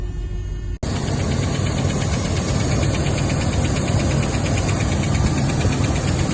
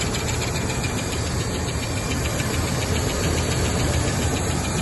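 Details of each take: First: Rolls-Royce Silver Shadow V8 idling about 30 seconds to a minute after start, following a broken resistor being bridged with wire; light quick tick about four a second on top; owner doubts it is the power steering; source unconfirmed. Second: Rolls-Royce Silver Shadow after its broken ballast resistor wire was bridged: steady, even low idle with constant level and no misses or stumbles; idling smoothly, charging amps up.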